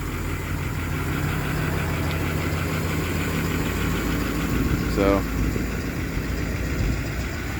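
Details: 2019 Ford F550 service truck, 6.7 diesel, 111k miles: steady low diesel clatter and hum at idle with an even beat and no added knock or miss; healthy idle.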